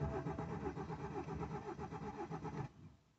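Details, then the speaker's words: BMW 116i petrol, a non-runner parked 1.5 years after breaking down, cranked after fault codes were cleared: steady starter churning at about four beats a second for under three seconds with only a slight bite, no clean catch; cranks but won't start. "getting a little bit of a bite there on the start. It's trying to start."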